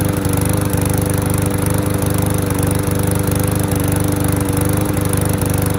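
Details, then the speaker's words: Curbside MTD lawnmower, old gas contaminated with water and debris: the engine holds a steady, even speed with no misses, surging or knocking and runs healthy. "that sounds better awesome"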